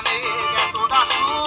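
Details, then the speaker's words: LivStar radio that played clean but very quiet, after repair of the faulty TDA2822 audio-output IC: music now loud and clean with bright highs, no distortion or crackle; normal audio output, problem solved. "Olha aí, pessoal, a diferença. O bicho aí é falando bem alto aí, galera, ó. Show de bola, problema resolvido."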